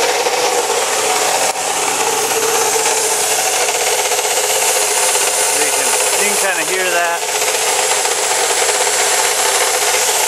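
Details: Chevy Cavalier 2.4L at idle: a steady raspy hiss that stays constant, later found to be a bad alternator bearing. Owner had suspected the tensioner, timing chain or water pump.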